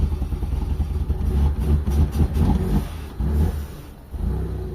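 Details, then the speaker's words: Mitsubishi Lancer 4G13 carbureted, brought in for hard starting and low power: long uneven cranking with lumpy churning that stumbles and fades after fitting a new, still-empty fuel filter, not catching until fuel reaches the carb; hard starting from fuel starvation. "Wala pang laman yung ano natin yung filter natin. So crank lang natin lahat mga bossing. Papaandarin natin mga boss para magkaroon ng gasolina. Hard starting to mga boss."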